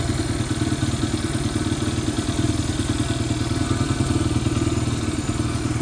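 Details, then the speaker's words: Barn-find Honda single-cylinder dirt bike, parked for years, just fitted with a carburetor; steady quick even thumping at a slightly high idle, sounds healthy. "Sounds like that idle's a little bit high. That's Honda for you."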